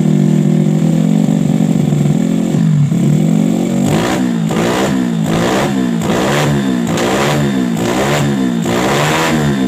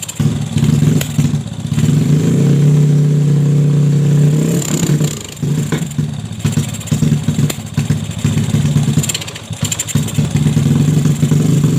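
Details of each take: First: Jupiter Z with bored-up engine and PE 26 carburetor, after widening the carb hole: idle then sharp throttle blips climbing and dropping cleanly with no stumble; it previously stuttered on throttle as if short of fuel, and now fuels properly. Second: Bored-up Yamaha Jupiter Z with new valves and piston and a newly fitted PE 26 (PWK) carb, still on unset, out-of-box tuning: revs climb then sag and stumble (brebet) as if fuel-starved; the carb is suspected lean.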